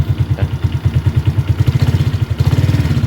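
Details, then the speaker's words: 2013 Suzuki Shooter 113 cc four-stroke, warmed up after a rough cold start; steady, even low thumping idle with a deep bassy exhaust note and no knocks, healthy idle. "suaranya ngebasnya enak banget ya seperti itu."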